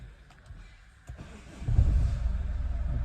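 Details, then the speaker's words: Chevrolet Cruze, previously no start and ignition shutting off, ECU/ECM repaired; clutch pressed and push-button start: few clicks, engine catches and settles into steady low idle, no misses or knocks; normal start after repair. "इसका ignition भी आ गया और हमारी गाड़ी भी start हो चुकी है"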